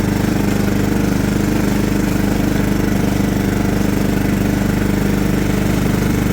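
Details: John Deere LT150 mower with replacement 15 HP Kohler engine, freshly swapped and mowing grass: steady, even single-cylinder drone holding speed under cutting load, no knocks, misses or surging; runs well.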